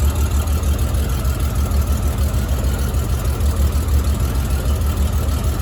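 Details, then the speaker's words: 1997 Honda GL1500 Goldwing warmed to operating temperature: low, deep idle with a slightly uneven, lumpy pulse, no knocks; vacuum gauge columns read about 39 and 30–32, so the carburetors are out of sync and need synchronizing. "As you can see, one column is up around 39 and the other one is down around 30, almost 32. So I definitely have to synchronize my carburetors."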